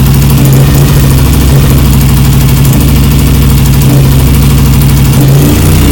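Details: BSA Lightning twin, first start after years of neglect, first kick, carburetors and ignition timing not yet adjusted: steady, even idle with deep regular beat, no knocks or ticks; engine sounds good and tight.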